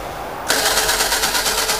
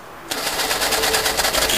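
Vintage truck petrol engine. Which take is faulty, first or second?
first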